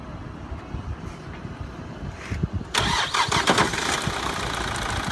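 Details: Opel Corsa D 1.7 CDTI diesel cranks and catches, then settles into an uneven idle with a light metallic, ball-bearing-like knock on start-up; owner seeking diagnosis, source not pinned down.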